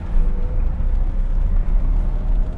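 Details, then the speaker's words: V12 BMW E32 750iL on the autobahn after tightening the ball joint; only low even road and engine rumble at speed, no scraping, quiet driveline. "no more noise can you go any faster"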